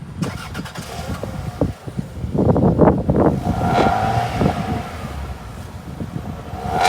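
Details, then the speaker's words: 26-year-old 1st-gen Toyota RAV4, 2.0L four-cylinder with 350,000 miles, heard under the hood at idle: soft, even idle with a low hum and light ticking. Remarkably quiet and smooth, nothing wrong. "Under the hood of the RAV4, you can hear how ridiculously quiet this engine is for 350,000 miles. It's absolutely nuts how smooth and just quiet this engine is."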